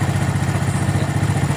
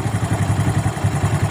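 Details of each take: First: Suzuki Smash carburetor setting, idle raised then air screw turned right (closed) until engine nearly dies: low, lumpy idle with uneven sagging pulses; engine near stalling from carburetor air screw closed too far. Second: Suzuki Smash single-cylinder after carburetor setting, air screw set for highest revs (just under two turns), then idle screw lowered: slow steady putter of about eight even beats a second, no hunting, normal idle.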